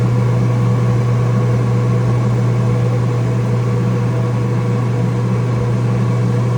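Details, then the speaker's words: Flood-damaged Kenmore dryer that was not heating, motor suspected bad, running with the motor held back by hand: a steady low hum that keeps its pitch with no stall. The motor is warm, not hot; the motor runs normally under hand load. "Motor is definitely warm, not hot, totally normal feeling. I was holding it back and it turned no problem."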